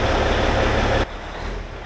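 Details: Peterbilt with a 6NZ diesel after an in-frame overhaul following head gasket failure: deep, even diesel rumble for about a second, then the level falls away; firing steady and healthy at idle.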